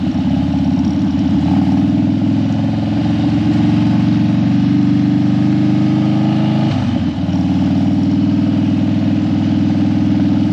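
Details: Harley Dyna that died when hot and wouldn't crank hot, warmed up on a test ride after a suspected battery fix: steady V-twin idle with a clean low thump and one brief throttle blip, settling back smoothly. Healthy idle.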